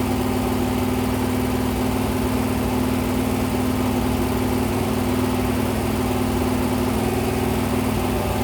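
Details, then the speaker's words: Freshly rebuilt 426 Hemi crate V8 (new heads, intake, pistons) on a run stand during flat-tappet cam break-in at 2400–2500 rpm, 32 degrees timing, 150°: steady, smooth drone with even pitch, no ticking or knocking; healthy. "I'm at 2400 2500 RPM, 32 degrees of timing. Every so often, I'll rev it. I'll bring it lower. I'll bring it higher."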